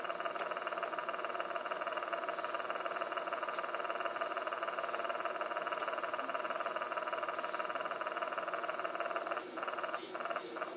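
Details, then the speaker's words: Pioneer RT-1020L reel-to-reel tape recorder, recently acquired and cleaned: steady motor hum with fast, regular wavering pulse about twice a second; one side's reel motor fluttering, the side with a missing screw, possibly botched prior service; cause unclear. "you have a side that's looking this fluttering noise at this side that's for sure"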